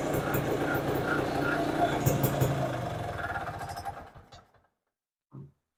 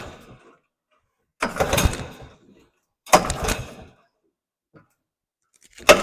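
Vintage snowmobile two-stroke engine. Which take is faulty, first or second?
second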